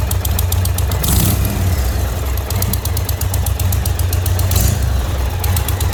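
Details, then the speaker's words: 2020 Indian Roadmaster 116 V-twin, 11,000 miles, after a ride; deep idle with a fast light ticking that grew louder, seemingly from the front header pipe at the cylinder; owner suspects a blown donut gasket exhaust leak. "out for a ride today and noticed a very slight ticking noise that gradually got louder so i headed home sounds like it's coming out of this front header pipe on the jug"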